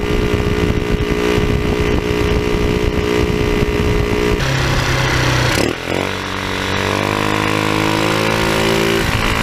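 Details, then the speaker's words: Tao Tao scooter with a cone air filter in place of the stock air box, revving: raspy, blatty roar like a bad exhaust from the noisy open intake; the stock air box was refitted afterwards. "so I didn't really like the way that sound it it just sounds like it's got a bad exhaust with this thing so we're taking this filter back off"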